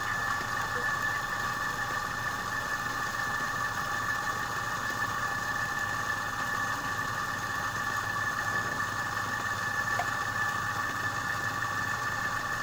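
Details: Repaired compressor that had seized from a stone lodged in the valve against the piston, run after charging with air to find gas leaks (a small leak remains): steady, quiet, mid-pitched hum with no knocking or rattles.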